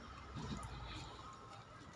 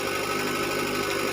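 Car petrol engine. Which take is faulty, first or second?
first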